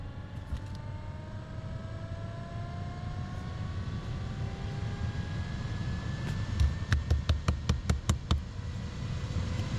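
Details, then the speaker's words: 2005 Acura RL blower motor just replaced, old one's brushes going bad: steady whir climbing smoothly to full speed, a few ticks near the end; now runs faster than before, working properly. "Oh yeah, it's working good now. Before it wouldn't get that fast anyway."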